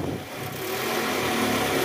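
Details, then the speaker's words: Cold-started 2010 Toyota Camry 2AZ-FE after about 2 hours off, just after balancer shaft replacement; still on fast idle. Smooth, even idle with no rattle or knock; the earlier cold-start grinding, traced to a worn loose balancer shaft, is gone. "nah ini suara mesinnya udah halus guys masih idle up karena baru hidupnya mesin guys tapi suara mesin ini udah normal Ya udah nggak kasar lagi kayak Awal"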